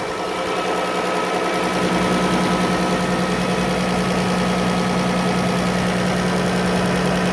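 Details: Rebuilt 2016 Chrysler Town and Country, 5k miles, 3.6L VVT, still on original oil after front-end driver-side accident repair: steady idle with a quick, even light ticking over the hum, about three per second; source undetermined.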